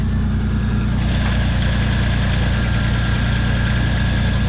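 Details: Nissan Pathfinder idling after intake pipe and mass airflow sensor reconnected, following hard-start and chugging fault: steady, even low idle with smooth regular pulse, no misses, knocks or stumbles; running healthy.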